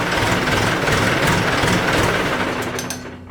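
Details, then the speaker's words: 1964 Ford 4000 diesel tractor with a fully rebuilt engine, revved from a 600 rpm idle to 1,200 rpm: heavy, labored clatter with gray smoke. The engine is lugging; an injection pump/fueling problem is suspected. "however whenever I revved it up to 1200 RPMs you can probably pick up the tractor kind of luggy like you hear it like I don't really know a good way to scrap it other than lugging"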